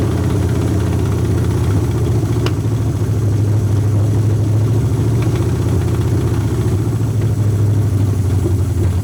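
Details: Long-sitting 1981 Ford Mustang 5.0 V8, carbureted, with a pump feeding the carburetor: deep, steady idle with slightly lumpy, uneven beat; owner suspects a fouled plug holding heat; idling better than before.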